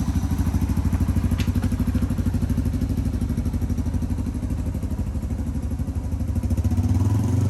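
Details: 2005 Yamaha TTR230 single after fuel-air mixture screw adjustment, muffler fitted: even thump at about three beats a second with no top-end ticking; runs well, though the clutch is not working.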